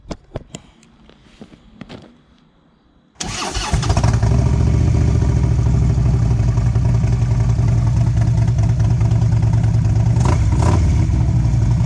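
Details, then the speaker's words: 2011 Harley CVO Road Glide after catalytic converter gutted, baffles previously removed: V-twin fires and settles into a loud, deep, lumpy idle with hard exhaust bark; loud open exhaust at idle. "now remember I took the baffles out of there originally so it doesn't have any baffles at all in it so I'll set you down on the ground and we'll fire it up"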